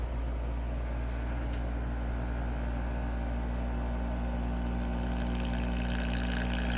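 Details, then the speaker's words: Early-1960s Knight Kit AM tube radio (All-American 5, water-damaged, 35W4 rectifier) first powered through a 40 W dim bulb: constant low, steady hum while warming up, filter-capacitor hum, with some other activity audible. "got some filter hum. It sounds like we also got some activity here too."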